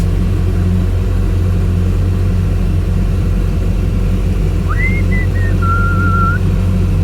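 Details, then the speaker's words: Boat sterndrive engine under way after fitting upper exhaust bellows and replacing gimbal bearing and seized U-joints; deep, steady rumble, no knocking or rattling, brief whistle, far quieter than before; normal running. "this thing is so much quieter it's like a prius compared to what it was before"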